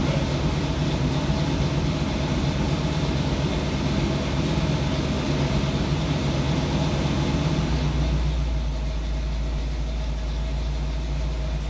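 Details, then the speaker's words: 1981 Corvette after a new engine install: idle hangs high and uneven, then sags late instead of dropping promptly; throttle return spring not pulling all the way back, throttle sticky. "Throttle spring wasn't pulling all the way back and it's sticky."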